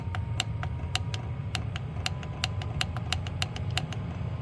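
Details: Diesel parking heater warming a shop, fed by nylon fuel lines, being turned up: sharp regular fuel pump ticks, a few per second, over a low steady fan roar. The heater is burning normally.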